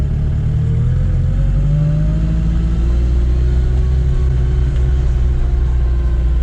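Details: Chevette OHC engine with adapted supercharger during carburetor and ignition timing tuning, timing near zero or negative at idle: engine pulls up smoothly and holds steady revs, deep even drone, no hiss or whistle from intake; sealed and healthy.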